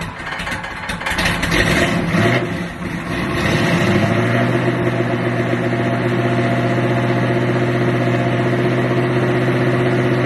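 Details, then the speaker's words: Buick Regal started cold with a chokeless carburettor and no air cleaner fitted: fires, revs and dips, then settles to a slightly uneven low idle; rough cold idle, needs carburettor tuning. "tarting up cold. I ain't finna lie to you. She rough, man. With that tokeless. That carburetor with no choke horn. It needs some tuning too."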